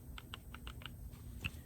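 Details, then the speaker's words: 2003 Honda Element axle CV joint, twisted by hand, boot in good shape: quick run of light sharp clicks, about five in under a second; joint play, owner unsure whether wear or lack of grease. "now let's look at the play in it you can hear that i don't know how much of that noise is where and how much of it is just lack of grease"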